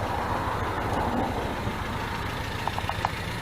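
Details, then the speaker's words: 1977 MGB four-cylinder petrol engine after a new wiring harness and a rebuilt Weber 2-barrel carburetor: a steady tick-over with a soft, even exhaust note and light clicks. Normal idle. "she's a runner it sounds good"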